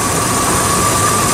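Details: 1998 Dodge Ram with an intermittent no-start, running after the suspect relay was bypassed: steady, even engine hum with no knocks, misses or squeals. A new relay later proved not to be the cause.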